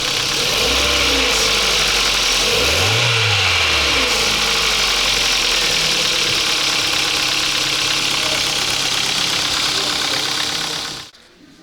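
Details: 2007 Kia Ceed 1.6 petrol, 150,000 km, cold engine blipped once: dry metallic rattle over the top end following revs, fading as it warms, heard only from above; oil consumption up; intake cam phaser suspected, and replacing it cured the noise.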